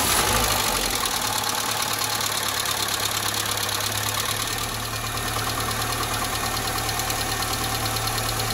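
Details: Nissan Almera G15, Renault K4M 1.6 16V, first start after top-end rebuild with new hydraulic lifters: fast light ticking over idle about three per second; one lifter will not bleed up and keeps tapping.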